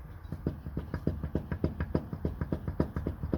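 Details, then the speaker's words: Hyundai Sonata EF (TagAZ), 180,000 km: sharp low clunks, three or four a second, as the right front driveshaft is rocked by hand; worn CV joint with play, causing suspension knocks over bumps, cured by replacing driveshafts with originals. "такой же звук чуть по глуши здесь у нас такой имеется люфт не знаю будет ли видно его тоже все стучит"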